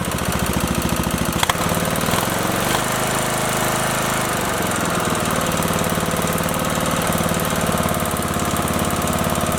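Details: Briggs & Stratton 19.5 OHV single after head gasket replacement and valve guide fix: rough catch then steady, even chuffing run, nothing knocking. Smoke expected from oil spilled on the exhaust; owner unsure camshaft is good. Normal running after repair.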